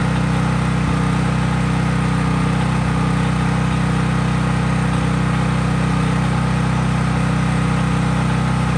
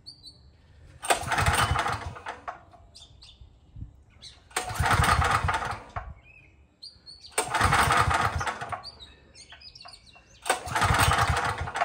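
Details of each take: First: Craftsman 5000-watt generator outdoors after a cold start, with no load (only an LED bulb plugged in): a loud, steady, even engine drone at constant speed, no misses or knocks; normal clean running. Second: Craftsman 5000-watt generator, cold start with recoil pulls, fuel previously shut off: four pulls of about 1.5 seconds each, spinning with no catch or firing; won't start because the engine switch was left off.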